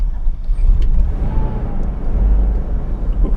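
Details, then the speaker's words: 1977 AMC Matador coupe on first drive in 20+ years, after a low-power run: deep lumpy idle surging and sagging, barely staying running; owner suspects leftover bad gas in the tank bottom, hopes it burns off. "Well, that was lackluster. Lacklustery. Will it stay running? Oh, barely."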